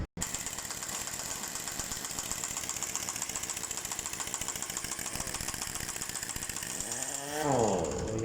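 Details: Mercedes-Benz Actros 2040 diesel truck: a steady diesel run with a sharp, fairly regular knock on top at about three to four per second; engine knocking, cause not confirmed.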